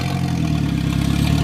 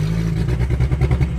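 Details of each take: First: High-boost drift project car at a 2017 track event, running after a bent fuel line that starved the engine was fixed and a new fuel pump fitted. It settles into a steady run, then revs twice and drops back evenly: normal running. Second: Drift car at a drift event: deep uneven, lumpy stumbling running with no power; misfire found to be all spark plugs fouled by heavy over-fueling, cause of excess fuel unknown.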